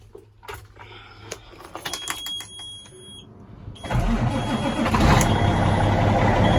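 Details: Cat C15 ACERT twin-turbo diesel just after exhaust manifold replacement (long-standing leak): warning chimes and clicks, then fires promptly and settles into a strong, even run; normal start and idle.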